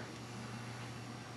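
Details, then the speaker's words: New Taco circulator pump replacing a leaking GE pump on a Hydrotherm boiler basement zone: relays click, then only a faint steady hum barely above room noise, no rattle or grind; running quietly and healthy. "there you hear the two relays there's that and there's that it makes almost more no more noise than just ambient noise of anything else these little things"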